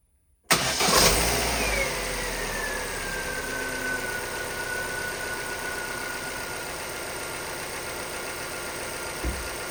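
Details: Vauxhall Astra salvage rebuild, first start after non-start, fault codes 24 and 59 still present and coolant needed: brief crank, clean catch, steady even idle with faint whine easing as revs drop; doesn't sound too bad.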